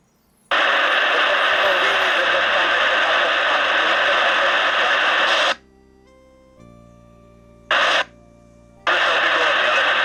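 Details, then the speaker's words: CB radio transceiver sent for repair without fault description, bench test: clean receiver hiss with squelch gaps and steady tones, no growl or mains hum even at high volume; reception normal, problem possibly the customer's vehicle power supply. "Ja nie mam się naprawdę do czego przyczepić odbiór jest normalny poprawny nawet przy dosyć mocno rozkręconej silę głosu"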